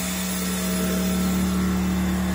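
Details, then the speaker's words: Pulsar G2319N 2300W/1800W inverter generator, warmed up 5–7 minutes, revving from economy mode to non-economy mode to power a vacuum cleaner: a steady constant hum without hunting, bogging or overloading; normal rev-up under load. "it's revved up back to non-economy mode to handle power output but uh it did so without overloading it"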